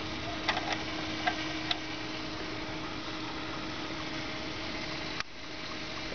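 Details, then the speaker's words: 2006 Prius inverter coolant refill and bleed, power button pressed twice to run the inverter pump: steady electric pump hum with gurgling, bubbling and pops while the reservoir level drops; air still in the inverter coolant loop. "You'll hear a lot of gurgling, a lot of bubbling, and um the level goes down in the reservoir."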